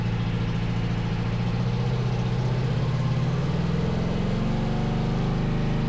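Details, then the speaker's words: 500cc twin-carb buggy, carbs being balanced with Motion Pro SyncPro: deep steady throb climbing smoothly as revs rise, a bit of backfire; both cylinders even at higher rpm, one lags slightly at low rpm. "Oh, that's so weird. Now it's running better. I hear a bit of backfire. There they go, dude. Yeah, now it sounds better."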